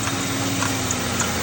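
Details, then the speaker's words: Mercury Grand Marquis idling with faint, light knocks roughly every half second; the visibly moving belt tensioner and a poorly spinning idler pulley are the cause; worn idler pulley and belt tensioner knocking. "most likely your idler pulley and your tensioner. If you look, you can see that tensioner moving around, which is causing that knocking noise."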